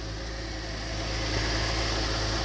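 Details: 2007 Cadillac CTS 3.6 V6 base model that cranked but wouldn't start, after replacing the crankshaft position sensor. A smooth, even idle with a steady low hum and no misses or stumbles. The engine is running normally.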